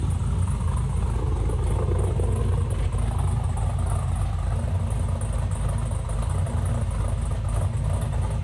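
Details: 6.0 V8-swapped Camaro on its first start after the swap. Deep, steady low rumble holding an even idle with no misfire stumble; firing cleanly and settling nicely.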